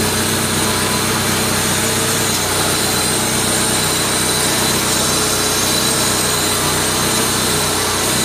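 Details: Mazda Familia 323 idling with the MAF sensor disconnected yet still running. Strong airy hiss over the steady petrol idle; suspected vacuum leak, unconfirmed.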